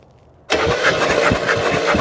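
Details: 1968 Oldsmobile Delmont 88, about 62,000 miles, parked 36 years. After the ignition points were sanded and spark was confirmed at the coil, the starter bites straight in with quick, even turning and the engine starts catching. It cranks healthily.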